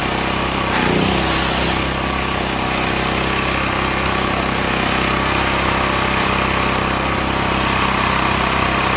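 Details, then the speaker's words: Stanley 8000 W all-weather generator, bought used after sitting four years, run after starting fluid, meter reading 7 (possibly 7 hours), new air filter; steady buzzing note holding one speed, no dips, hunting or knocks; running fine. "Get farther away from that, a little quieter. Seems to work fine."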